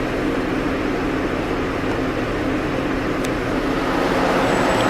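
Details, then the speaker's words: Holden VT Commodore 3.8 at idle with ABS, traction, airbag, check engine and oil lights on: steady loud rushing roar from the front radiator fan that never cycles off, held on high by a failing ABS module. "you get the oil light come on as well, low fuel, and you can hear the fan roaring up the front there."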